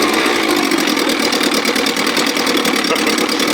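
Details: 1957 Montgomery Ward Sea King 5 hp two-stroke outboard, no fuel pump, gravity-fed from a tank on a ladder, throttle in start position above idle: quick, even buzz with crisp regular exhaust beat, no stumbles. Running normally and sweetly.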